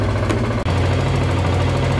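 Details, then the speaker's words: Healthy idle on a Zontes 125 motorcycle, warming to 52 degrees, running on a test Bosch MSE 6.0 ECU before flashing; even, steady low putter with no knocks or misses, revs rise smoothly and evenly. "Jak widać, motorek ładnie pracuje. 52 stopnie. Ładnie równo wchodzi na obroty."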